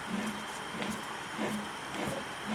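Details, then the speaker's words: 1963 Willys CJ5 front Dana 25 axle, front wheel bearing spun by hand: dry, gritty rasp in repeating bursts; bearings worn out and super dry, to be replaced with new components. "super dry in there [Applause] super dry in there"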